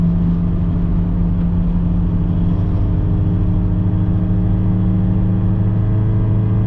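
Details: Worn Subaru Impreza with catless resonator-only exhaust, driving at about 45 to 60 mph and warming up: steady low droning hum under road speed; wheel bearing noise.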